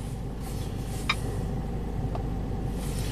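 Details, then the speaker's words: 2005 Jeep Liberty CRD diesel, 171,000 miles, with limp mode, low power and P0105 MAP/boost code; test drive making about 14 psi boost, smooth even drone, no knocks or surging, no check engine light; running well. "i know this drives great right now let's keep going so this thing is running absolutely beautiful"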